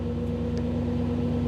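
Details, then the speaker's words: 1985 Camaro IROC-Z TPI with new engine build, in neutral with Actron CP9690 OBD-I scan tool plugged in: smooth even idle raised to about 1000–1050 rpm, steady low hum; elevated idle from the scan tool connection. "and one uh one interesting feature of this tool on these ecms is that when I plug in the tool it raises the idle speed so you'll see right now the idle speed in neutral is over a th000 it's it's almost 1050"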